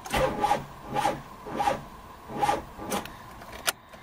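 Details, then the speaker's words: 2002 Mitsubishi Lancer, original 10-year-old starter, distributor disconnected, jumper battery on: starter grinds slowly in heavy, uneven strokes about every 0.8 s and never speeds up; weak, over-drawing starter, probably seized, worse when hot. "I've disconnected the distributor so you can hear what the starter motor actually sounds like that's all it can really do even with a jumper battery on"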